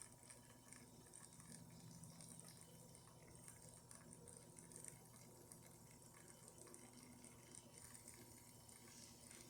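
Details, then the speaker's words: Rocket espresso machine after full service (pump had stopped, level probe cleaned, both boilers scaled), pulling a shot with a fine grind at 9–9.5 bar: a faint, even hum with water trickling, no rattle or surging. Pressure stable, pump almost silent. "Here's the pressure, perfect. It's stable and almost silent pump."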